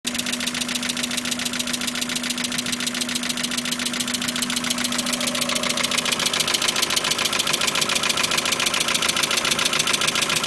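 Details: Mazda MX-5 at idle: steady idle with a sharp, regular ticking pulse about three or four times a second; seemingly running rough, cause unclear, owner seeking advice.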